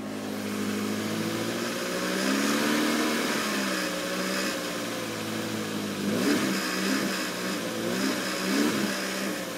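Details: 1993 Toyota Corolla, cold engine: running with a wavering mid-pitched buzz that swells and fades as revs change, a vibration noise heard only when cold; cause unknown.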